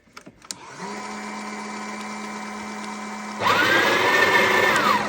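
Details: Breville Oracle Gen 3 BES980 espresso machine after service for slow grind, loose tamp and error 30: steady motor hum, loud grinder stops first, quieter tamp motor runs about 3 seconds more then stops; normal two-stage sequence.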